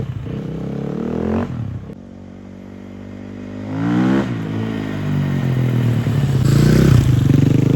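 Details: Large dirt bike that sat for years, after revival: single-cylinder revs rise and fall smoothly through several throttle blips with a crisp beat; part and full throttle work, running amazing.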